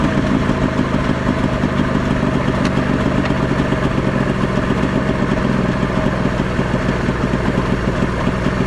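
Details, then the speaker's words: Previously seized Ski-Doo Mach 1 700 triple-cylinder two-stroke snowmobile, freezing cold, fuel tank pressurized by mouth: runs rough and uneven, revving then faltering, stalling after start. Likely fuel-starved. "he's running good boys I spoke too soon it did seem like it was shooting some fuel in there"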